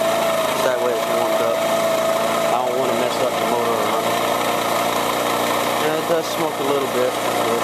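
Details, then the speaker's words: Moped with newly installed radio, just started easily and warming up: small engine ticks over at steady high even buzz; owner thinks oil change needed; healthy warm-up idle. "And it started up pretty easy, so I just have to let it warm up again."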